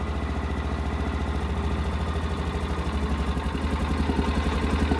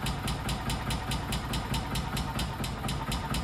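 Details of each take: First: 1999 or 2000 Kawasaki Mule 550 after a decade in a barn and 2-3 years without running, warming up on choke after its first start. Steady, even single-cylinder idle, slowly picking up, running smooth and healthy. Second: 1999 or 2000 Kawasaki Mule 550, first start after about a decade in a barn and 2-3 years without running: a slow, lazy putter, just caught and barely idling, with a possible slap from the engine or belt. Very slow idle.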